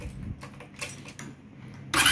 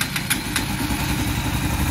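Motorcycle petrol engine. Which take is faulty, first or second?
first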